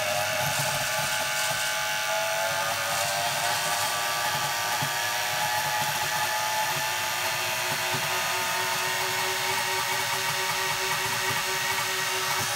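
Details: Washing machine motor on a TDA1085C speed controller driving a grindstone with heavy flywheel through a big reduction: steady high-pitched squeal over the motor hum as power is turned up; drive belt slipping under load.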